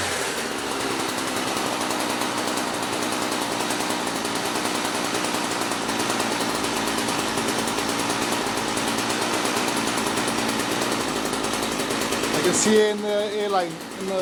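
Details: Small two-stroke equipment being winterized, fuel line shut off to empty the carb: high buzz holds speed, then stumbles, sputters and dies; carburettor run dry of fuel.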